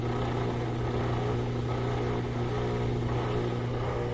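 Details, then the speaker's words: Whirlpool direct drive washer after reassembly, rinse stage letting new water in: steady even low hum and smooth motor whir, no knocks or scraping; normal drum spin. "and now it'll start to pick up speed it's letting new water in it's going to spin it and it lets water in to um rinse it out"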